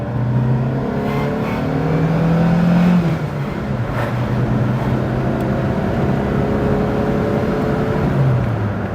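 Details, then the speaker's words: 1992 Fiat Tipo 1.4S petrol four, on-road drive: engine note rises smoothly under hard throttle, drops at the gear change, then pulls cleanly again; goes very well for a 1.4, healthy normal acceleration. "Unfortunately the traffic is having other ideas, but yeah, for a 1.4 this goes so very well."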